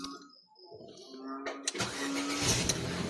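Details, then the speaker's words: Ford Fiesta that had no crank and no start despite a new battery; after checking starter, relay and fuse connections and borrowing the fan relay, a brief crank and the engine catches cleanly into a steady run: normal start. "Ayan okay na po mga ka-idol. Yan at umandar na po."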